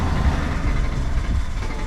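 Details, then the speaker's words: Dodge Caravan with the check engine light on: a steady churning crank that sounds like it wants to start but never catches. A fuel pump is suspected. "Uh-oh. It sounded like [music] it wanted to start."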